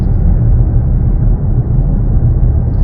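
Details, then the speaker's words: Datsun rear differential, about 120,000 km, test drive after repair for a howling diff: steady low road rumble with no rising or falling howl, so the diff now runs quiet as it should. "Yeah, you can't even hear it. That's how it should be though."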